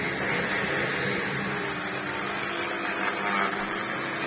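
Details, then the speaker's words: Large Electrolux vacuum, lightly used, with its power head running: a harsh, rough roar with an uneven rattly hum over the suction noise. The brush roll stops spinning as soon as the head is put down; the power head brush motor is failing. "It sounds awful, And what it was doing, I don't know if I can make it do it now. It has done it. As soon as you put it down, the brush roll stops spinning."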